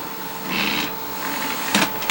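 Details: PlayStation 2 Fat SCPH-3001 with a disc read error, after alcohol cleaning of the laser: a faint hum broken by rough whirring bursts and sharp chugs as the drive struggles to read. Cause unclear; owner suspects something isn't seated.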